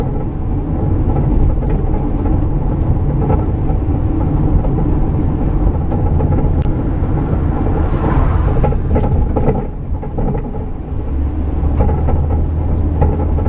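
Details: Van, microphone in the rear, driving over bumps. Steady road rumble broken by occasional dull clunks and rattles from the rear: the track bar is broken off at one end, letting the axle shift.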